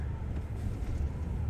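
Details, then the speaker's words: Chevrolet Tahoe V8 after its broken motor mount was fixed, driving through a parking lot: low, steady engine rumble with no banging or thrashing when the gas is touched, where previously the engine banged. "There's no loud thrashing or banging of a big heavy engine around, which honestly makes this thing so much nicer to drive."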